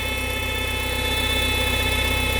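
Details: VW EA111 petrol engine idling after timing belt and tensioner replacement: steady high-pitched whine over the pulse traced to a faulty oil filter; fixed by replacing the filter.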